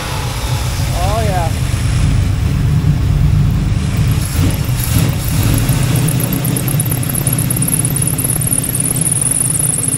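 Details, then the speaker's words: El Camino V8, hot: deep, fairly steady idle with low rumble, no obvious miss or lope; running better than before. "sounds like it's running better though it does"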